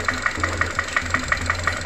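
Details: Ravon R2 / Chevrolet Spark with B12D2 (LL0) engine at 112,000 km on 5W-20 oil: sharp, even metallic knock about six times a second over steady idle; hydraulic lifters checked and ruled out; piston slap.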